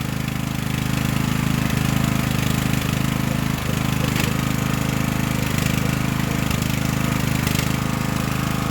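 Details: Craftsman LT1000 riding mower just after Briggs & Stratton engine transplant, first start on choke: steady single-cylinder putter at even idle with low constant thump, no knocks; runs cleanly; smoke is spilled oil burning off exhaust.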